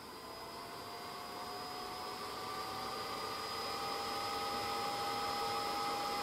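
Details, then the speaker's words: GMA465 multi-charger, new, after about 20 hours of Ni-Cd charge/discharge cycling: 5 V internal DC cooling fan, removed and run on external supply, gives a thin whine climbing in pitch, worse when shaken; cause is the fan shaft. "Shake the fan while rotating it to make a sound After all, the cause is the shaft part of the fan."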